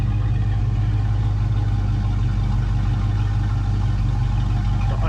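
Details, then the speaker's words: Foxbody Mustang 5.0 V8 with a steady even idle and smooth low rumble, no surging. This is after cleaning the dirty EGR valve, which the owner guesses caused the rough idle and surge. "idle sounds so much better I'm gonna guess that that EGR valve was my issue and I think I'm Gonna Leave idle right around right around 1K"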